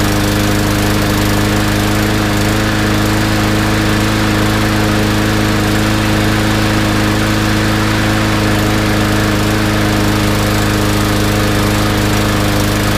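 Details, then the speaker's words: Yard Machines mower after draining old gas and cleaning carb: loud fast engine with ragged, unsteady beat; spark plug tip white, running lean and starving for gas, jet suspected undersized. "look at how white the tip is that means it's burning quite lean so it definitely is uh starving a little bit for gas"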